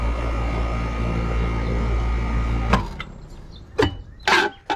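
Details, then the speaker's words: Air conditioner condenser fan motor after replacing the bad run capacitor, with power restored at the breaker: even hum, then the fan spins up and runs smoothly, confirming the capacitor was the fault. "can see that the capacitor was bad the fan spun up"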